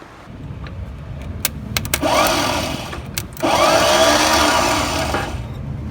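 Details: 1962 VW Type 2 bus, first try in over 40 years, with the starter jumped from underneath. A high whirring spin in two bursts with no firing behind it. The starter turns, but the engine does not catch.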